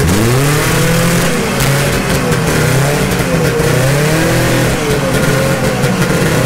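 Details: 1972 Ski-Doo Nordic 440 snowmobile with a rebuilt two-stroke engine and a preliminary carburetor adjustment, cold started after a week sitting. Revs up and down freely with a crisp buzz that follows the throttle without stumbling; fuel delivery sounds right.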